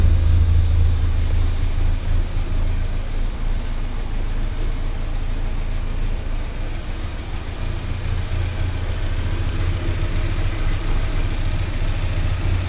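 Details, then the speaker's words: 1979 Porsche 924 after a fuel tank clean, fuel now flowing correctly: the cold engine idles low and uneven with a wavering, lumpy beat; the owner suspects the warm-up regulator, and it runs fine once warm. "there's issues with that warm-up regulator. Anyway, but that's how it is. Once it's warm and running, it's all right."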